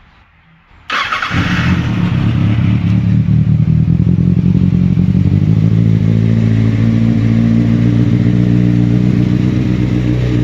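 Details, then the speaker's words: 2007 Kawasaki Ninja ZX6R after coil pack replacement, cold start with no throttle: starts instantly and settles into a smooth, even idle with no misfire. It had previously run on three cylinders and lacked power. "So yeah, it starts right up, and that should be it."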